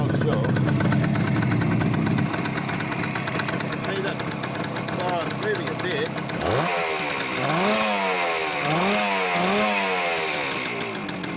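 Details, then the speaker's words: Suzuki T250 two-stroke twin, first run after eight months shelved, on premix: ringing uneven blips then rough idle with lots of smoke; owner suspects crank seals, residual oil in crankcases or exhausts, oil pump or worn engine. "Lots of smoke. That could be crank seals,"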